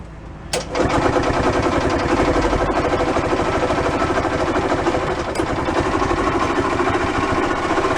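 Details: Early-1980s gas golf cart pickup barn find, automatic, running on a little fuel in the carburetor float bowl, started without choke: fires after a short crank and settles into a steady single-cylinder chug with no misses or knocks.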